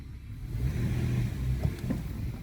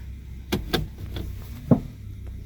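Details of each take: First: 2014 Toyota Sienna after tightening a loose top engine torque mount that caused clunks: steady low engine rumble through drive, acceleration, braking and reverse with no thump or clunk; drivetrain held firmly. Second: 2014 Toyota Sienna, shifting into drive and accelerating slightly; over a low idle rumble come a few dull knocks about a quarter second apart, then one more, from the front right, caused by a loose top engine torque mount.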